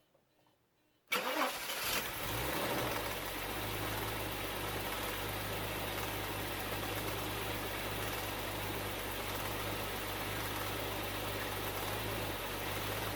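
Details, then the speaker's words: Bitter SC (SC 377), Bosch L-Jetronic fuel injection, after fixing a faulty temperature-sensor wire and fitting new wiring (4.6 kOhm reading seen on the bench). Silence, brief crank, then it catches first try and settles to a steady, even idle: a healthy start. "I cannot believe it this is highly unusual as I said I'm the person for whom 50 50 decisions go wrong 90 of the time and this was starting at the first attempt"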